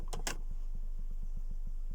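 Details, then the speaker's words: Home theater LFE subwoofer channel playing a 25 Hz sine wave test at high level: deep steady tone with faint regular clicks as the amplifier's audio limiter engages; clicks stop when level is turned down. "because the audio limiter is engaging and turn the favor level down and I don't notice it"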